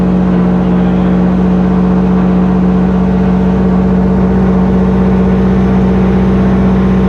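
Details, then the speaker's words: Subaru EJ207 fresh rebuild (new bearings and rods), first start on break-in oil, current map: steady boxer idle with even firing and faint light tapping; builder says slight piston slap normal for these pistons, needs break-in. "engine builder says uh that little bit of piston slap noise is normal for these pistons plus it's a brand new motor so it's got to be broken in"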